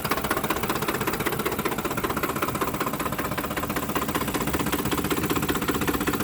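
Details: 2007 Ford F-150 5.4L V8 4x2 automatic, 119k miles, rough idle after deceleration: an uneven idle with a steady knock of two to three beats a second, seemingly near the fan; cause suspected, not confirmed.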